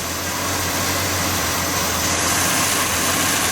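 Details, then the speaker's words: Budget turbo 250, revived and running about 7 minutes while warming up: even idle with a steady airy hiss on top, no knocks or rattles; normal idle. "It's been like 7 minutes now. Sounds pretty happy sitting here. I'm gonna let it warm up a bit."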